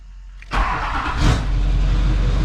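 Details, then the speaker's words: 2004 GMC Yukon XL 2500 with a 2006 LBZ Duramax diesel swap and Air Dog 165 lift pump, first successful start after the lift pump fuse was found and the dash light went out: short crank, then the diesel revs and settles into a steady, even idle. "she's running. She's running."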